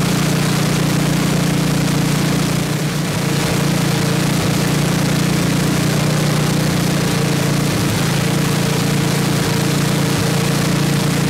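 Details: 1979 Toro 826 snowblower, 8 hp Briggs & Stratton, after carburetor cleaning: steady single-cylinder putter at even speed with constant drone; runs strong and started right up, though not hitting idle, owner says out of adjustment.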